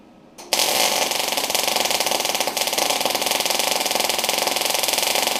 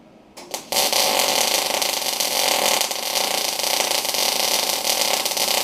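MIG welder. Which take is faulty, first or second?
second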